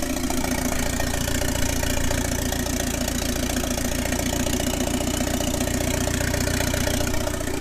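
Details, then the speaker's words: 1997 Mitsubishi Eclipse GSX after 6-bolt engine swap, first start, open downpipe, oil pressure sensor missing: loud raw unmuffled idle with steady chuffing pulse, engine running evenly. "I shouldn't let it run too long because this is the open down pipe"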